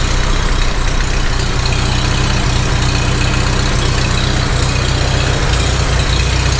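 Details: Farmall H tractor engine idling after its first start. A loose, irregular knock of about four per second that comes and goes, loudest near the rocker, suspected at cylinder 3 and unconfirmed.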